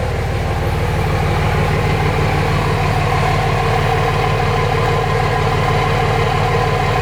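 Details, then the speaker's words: 2005 common-rail Cummins diesel in a 2008 Ford F-350 dually, warming up (93 then 120 degrees, for hot retorque): even regular idle clatter, no ticking, exhaust puffing or exhaust leaks; healthy. "I don't hear any exhaust leaks. Only 93 degrees. So far, so good."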